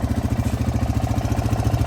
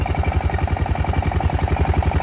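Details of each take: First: Honda Foreman 500 ATV after valve adjustment and cover replacement, with new generic piston and cylinder: steady single-cylinder idle with a faint light tick; owner suspects possible piston slap, but it now sounds pretty good. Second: Honda Foreman 500 single-cylinder at idle after valve adjustment and valve cover replacement: steady idle with faint light tick each firing, about four per second, less than before; owner suspects some piston slap.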